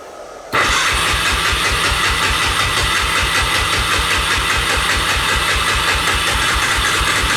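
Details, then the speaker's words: 1988 Honda FourTrax 300 ATV that sat for years, with the fouled spark plug cleaned and choke on: steady rapid cranking at about 4–5 pulses a second for seven seconds with no catch; the owner suspects no fuel or old fuel. "Does that mean it's not getting fuel? I don't know. Say I'm not a mechanic, I don't know nothing about this. Maybe she's not getting fuel, or that's the old fuel."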